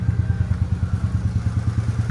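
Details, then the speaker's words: Nissan Almera/March three-cylinder petrol engine idling with a lumpy, uneven low thumping beat and vibration, check engine light on; the suspected cause is a leaking ignition coil giving weak spark. Misfire at idle. "แค่เสียงเครื่องยนต์มันก็จะสั่นๆหน่อยครับเนี่ยครับเสียงมันจะสะดุดนะครับทุกๆปกติมันจะไม่เสียงแบบนี้นะ"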